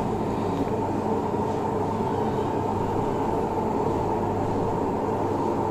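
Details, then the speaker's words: Samsung front-load washing machine making very loud noise in spin: steady rumbling roar with heavy vibration; pulley, belt and counterweights checked and fine. "इसमें क्या है बहुत ज्यादा sound कर रही है बहुत ज्यादा आवाज कर रही है"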